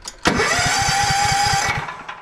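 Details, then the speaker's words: Toro TimeCutter zero-turn mower, model 75740, Loncin engine: starter cranks at a steady chug, about six compressions a second, never catching despite good spark; choke linkage popped out so it is not choking, causing no-start. "that's why this unit will not start is because it's actually not choking"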